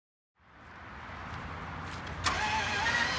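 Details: 2011 Range Rover HSE 5.0 naturally aspirated, with a weakening battery, cranks slowly and evenly at about three and a half pulses a second but never fires; suspected low compression from severe overheating, possibly a burned piston dragging on the cylinder.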